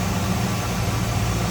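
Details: 1978 Chevrolet Camaro 305 V8, warmed up off high idle: deep, steady, even rumble, no knocks, misses or ticks; healthy warm idle.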